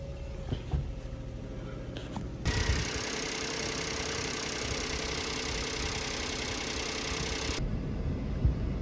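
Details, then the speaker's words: Car with a completely dead battery, started by push start: low rumble settles into a steady, fairly even run with a louder hiss midway; car finally started and running normally. "जी अल्हम्दुलिल्लाह फाइनली गाड़ी जो है वो स्टार्ट हो चुकी है, मुझे बंदा मिल गया।"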